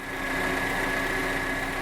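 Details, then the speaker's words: 2012 Chevrolet Captiva 2.4 16v, warm, at slightly raised idle: smooth, steady hum with the usual injector chatter barely audible and no chain slap; normal engine. "ele faz um barulho meio que dizem é um castanharo uma coisa assim tá mas esse aqui faz muito pouco quase que não dá pra ouvir tá"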